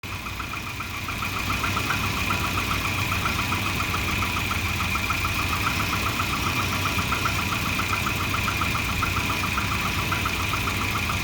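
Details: Volvo 240 petrol engine idling with an uneven, lumpy rumble; O2 sensor readings went erratic once exhaust reached temperature, and a new exhaust O2 sensor fixed the rough idle.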